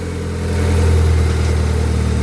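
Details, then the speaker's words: Honda Civic ESI brought in for misfiring after someone adjusted it, test-started: deep, steady idle that swells slightly then settles, firing evenly with no stumble or skip; normal idle. "Paandarin natin, ESI from Dasma. Ayun, umandar naman pala."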